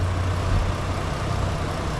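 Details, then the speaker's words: Overheating van after cooling system repair, idling with temperature gauge sitting at half; steady low idle rumble with an even rush of radiator fan air, fan kicking on as it should; normal idle with fan running. "Fan's picking on you'll feel it you'll hear it yeah it's it's working right now"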